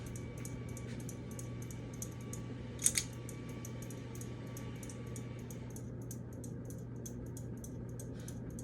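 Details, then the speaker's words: 2013 baseball ceiling fan on high speed: light regular ticks three or four a second over steady motor hum; mounting bracket not fully seated and moving, causing tapping and wobble though set screw is tight. "So this high speed is annoying because I can hear it taps. No wobbling."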